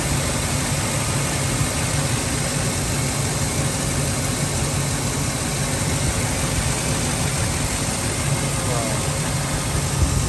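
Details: Ford F-350 5.4 V8 that idled sporadically and stalled at cold start, after refitting a broken, detached air intake piece: steady even idle, constant low rumble, no hunting or dips.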